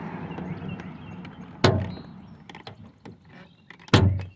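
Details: Toyota Sienna (2004–2006 era) door: a heavy clunk partway through opening and a thud on closing. The door check stop is broken and had been welded before; the fix is re-welding and riveting it.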